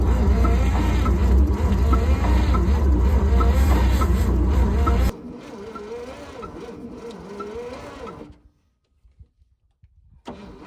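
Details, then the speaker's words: Abandoned 1955 Chevy 3200 truck, sat about 50 years, jumped from a Jeep with choke and fuel: heavy, labouring chug of about four compression beats a second that fades without firing; cranking very slow, suspected low compression or speed. "All right, so at this point, the engine was turning over just really, really slow. and even with the Jeep hooked up, we just didn't have enough compression, I would say, or speed to even like do anything."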